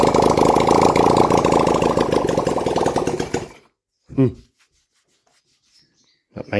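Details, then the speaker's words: 1971 Honda CD175 K3 twin under restoration, only a little fuel put in the carburetor: quick, even firing with crisp revs for a few seconds, then stumbles and dies, owner thinks it ran out of fuel; normal idle and revving. "I was only sticking a little bit in the carburetor, but that's it, guys. We have a running bike."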